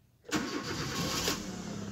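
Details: 2010 Kia Rio, previously crank-no-start with blinking check engine light, after ECU repair: brief crank, then it catches at once and settles into a steady, even idle; normal start.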